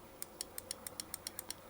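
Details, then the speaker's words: 1996 Jeep Cherokee XJ power antenna motor, stuck down, taken apart: about ten sharp light clicks at roughly seven a second, then stop, as the end-stop block pushes the limit switch to protect the motor; normal. "So in either direction, if it hits the stop, that block moves and pushes the switch so it doesn't burn the motor out."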